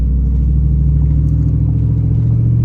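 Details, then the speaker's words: 3rd-gen Ram truck after power steering fix, driven at full lock through a tight turn that previously caused noise: only low even road and engine rumble, no pump whine or groan; suspension creaks remain. "we'll run it to full lock oh my God no power steering noises we made the turn turns"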